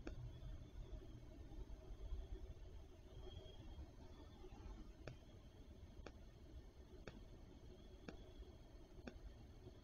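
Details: Amcrest 841v3: a sharp, light tick exactly once a second like a watch second hand, sometimes skipping, over quiet room hum; no rain or humidity, cause unknown.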